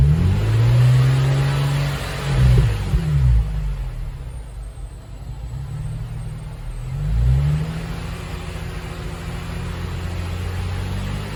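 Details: Nissan Fairlady Z Z33, VQ35DE V6, automatic, 310,000 km, just after a DIY engine overhaul: smooth steady idle with two clean rev blips that climb and settle evenly, no knocks or ticks. A healthy engine.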